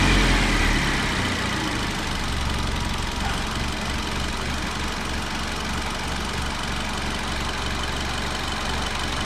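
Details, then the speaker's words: Honda i10 petrol four-cylinder engine running, throttle blipped: uneven, lumpy beat with sudden stumbles and vibration as one cylinder skips firing, an engine misfire. "इस बीच में ऐसा feel होता है यह के बीच अचानक साझा ले रही है कोई भी एक सिलेंडर है वह मीटिंग कर है तो इसको बोलते हम लोग मीटिंग है"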